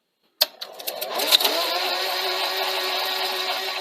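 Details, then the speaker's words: Sony SL-C30 Betamax VCR: steady high whirring hum of constant tone, tape transport running way too fast and spilling tape on play; owner suspects capstan motor fault such as Hall sensors or bad capacitors. "running fast you can actually hear it running fast so bringing you in a bit closer press play it just spills out tape running way too fast"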